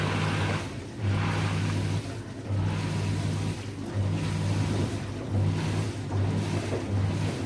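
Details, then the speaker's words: Lift pump running at full load while two washing machines drain at the same time: deep steady motor hum swelling and easing in surges, about forty a minute, louder at the start; normal lift pump operation. "Sachant que dans ce cas-là, vous avez eu les deux lave-linges qui ont vidangé en même temps. Donc le bruit au début, il était assez important. La pompe, elle a fonctionné vraiment à fond."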